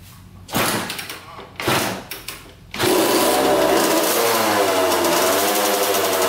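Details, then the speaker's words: Old Kawasaki two-stroke dirt bike that sat outside for a while, aftermarket carburetor, no air filter, 40:1 premix, new fuel line; after a few sputters it settles into a steady, crisp buzz with even firing, running strong (coolant leak noted): normal running. "sounds like it runs strong that's awesome"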